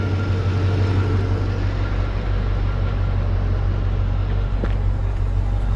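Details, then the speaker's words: Chevrolet Caprice 9C1 LT1 V8 after water pump, Optispark and radiator hose replacement, freshly refilled with coolant and not yet hot: deep, steady idle with even beat, no more hesitation or skipping misses as before; normal idle. "don't think it's got any more misses to it it was like hesitating before like skipping around [Music] yeah I think that's good sounds pretty decent that sounds pretty decent"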